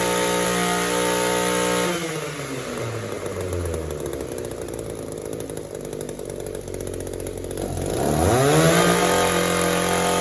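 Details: Echo two-stroke trimmer with no air leaks, good crankcase integrity and a clean fuel filter, after hidden carb screw adjustment: it screams at full revs, then sags into a low bog for seconds before recovering. The carburettor runs lean and may need disassembly.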